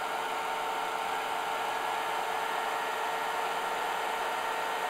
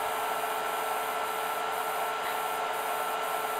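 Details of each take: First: IBM DPS-2000BD server power supply at 14.6 V feeding several battery chargers, total 120-130 A: steady fan rush with faint constant whine, no hiss from the supply under full load, normal operation, not even lukewarm. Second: IBM DPS-2000BD power supply feeding several battery chargers at about 60–70 A total: steady high hiss with a faint tone dipping and swelling about twice a second as output voltage fluctuates under load.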